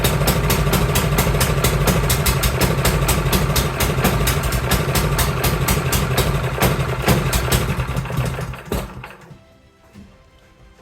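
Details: Cub Cadet 524 snowblower that the owner says runs rough and smoky, started in neutral with a high-amp power supply in cold, snowy weather. The engine chugs lumpy and uneven at about two beats a second and falters before cutting out, running rich and rough with the choke stuck on.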